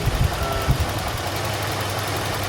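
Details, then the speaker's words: 1988 Toyota Land Cruiser idling at about 650 rpm, the owner's preferred 650–700 range: low, steady rumble with a few small bumps at the start, then an even beat; healthy idle. "very well it's at about 650 kind of threshold that i really like"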